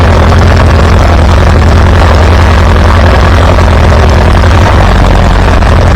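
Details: Farmall B tractor running after a weak ignition coil was replaced, restoring strong spark; steady, even low thump, loud and smooth, no misses or stumbles. Good oil pressure. Normal running.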